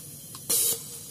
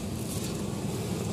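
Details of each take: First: Nissan MR18 engine with a misfire from the number one injector. It gives uneven hissing spray bursts about every 0.75 s and intermittently sticks open. Cleaning will be tried, otherwise it will be replaced. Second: Nissan MR18 engine after fixing misfire by replacing an injector and addressing contaminated fuel: steady, even low idle hum with steady RPM, no stumbles or dips; normal idle.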